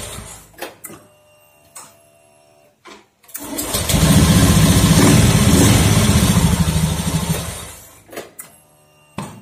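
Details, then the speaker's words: Honda Beat FI scooter after cleaning the CKP sensor with compressed air (history showed CKP fault; it was only dirty): a few clicks, then engine catches immediately and runs with a strong even beat before shutting off; clean healthy start. "Oke lancar Ya nggak ada masalah di ckp nya ya cuma kotor aja ya"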